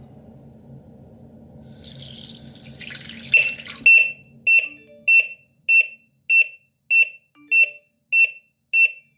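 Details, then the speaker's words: Water splashes onto the base of a Smart Water Leak alarm WiFi detector, which then beeps evenly about 98 times a minute and launches the phone app. Water leak alarm triggered; loud enough for a small room. "Voilà, donc là, ça on l'entend, l'application s'est relancée, enfin c'est lancé plutôt. Voilà. Le bruit, ça va."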